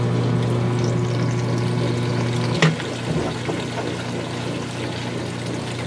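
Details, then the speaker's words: Whirlpool direct-drive washer draining hot water: a steady low pump hum and rushing water, then a softer flow after a brief clunk. Only a mild residual noise remains, far less than before, and it drains normally. "it does get a little sound that's okay [Music] it's just nowhere near as bad it's what it is and we should uh pump again in a moment"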